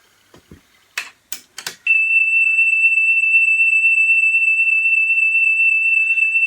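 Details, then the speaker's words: 1983 Pioneer CT-540 cassette deck playing a steady high test tone whose pitch wavers slowly (wow). A wrong-width belt wanders on the shaped motor pulley. "so again you can hear the whoa, whoa, whoa, whoa, whoa, whoa, whoa, whoa, whoa. And obviously at a much higher volume."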